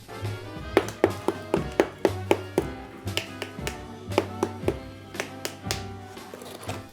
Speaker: I really love the tap test for testing your plaster. You can really hear the difference when plaster isn't attached right. That hollow sound means it's just lost its bond to the brick